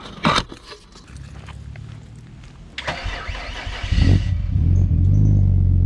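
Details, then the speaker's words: Nissan Stagea, just finished and back together, warm start. Brief crank catches quickly and settles into a deep, throaty, steady, even idle with no misses; running smoothly. "um still sounds awesome deep and throaty man i really like it up here so smooth everything's running so good so smooth"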